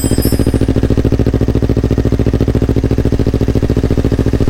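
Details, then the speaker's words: Yamaha R25 fitted with a Yamaha R3 engine, first start after the swap, borrowed Akrapovic exhaust: loud, even exhaust pulses at a steady beat, no misses or clatter; smooth, healthy twin idle. "Suara sih nggak beda jauh ya. Blok R3 halus suaranya. Akhirnya nyala, gila gue seneng banget, gila gokil banget."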